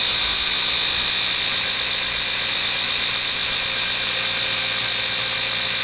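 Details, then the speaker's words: Toyota Corolla just after installing an MWR alternator underdrive pulley: a loud, steady high-pitched whir over the engine, the alternator sounding noisy for unknown reasons. "so as you guys might have just heard in that last clip the alternator sounded pretty bad turning it sounded real noisy and honestly i'm not sure why"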